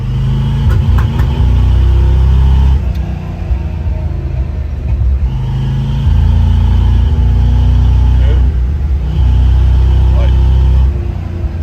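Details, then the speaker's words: 1972 Chevy C20 pickup, 350 V8 crate engine with Edelbrock 650 cfm carb, under load: pulls hard then sputters and stumbles around 3,500-4,000 rpm like a rev limiter; later cured by new R44T spark plugs gapped .050. "it just will not pull. Pulls great until it gets to that spot, and then it just does not want to pull."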